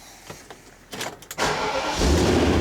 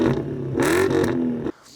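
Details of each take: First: BMW E31 840Ci V8, under restoration and being readied for an MOT after eight years: short crank, fires at once, settles into a deep, steady idle with no misfire. Healthy start. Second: BMW E31 840Ci, original cats and resonator but rear silencer (back box) deleted: quick rev with deep raspy note louder than stock.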